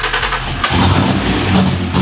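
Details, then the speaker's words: Rebuilt turbocharged Ecotec race engine, estimated 480-520 hp on about 16 lb boost, first start: catches and settles into a choppy, uneven loping idle, the heavy lope typical of a healthy built race engine. "wa and listen to that that sounds nuts holy sh F [Music] lumpy holy moly"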